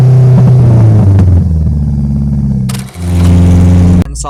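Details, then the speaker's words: Honda K20Z3 (KRX, RBC manifold) on FuelTech, all-motor, untuned base map started from zero tables, cruising while rpm and load rise linearly: steady drone under load dips and stumbles twice; engine breaking up under load. "So, he's uh revving linearly and and adding load linearly while we're cruising. So, that's why it's kind of breaking up."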